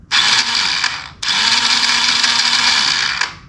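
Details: 1985 Yamaha Moto 4, no-start diagnosis, starter powered directly via the positive terminal at the starter switch: two bursts of high free-running whine with no cranking thump, so the starter seems to spin without turning the engine. Cause not confirmed.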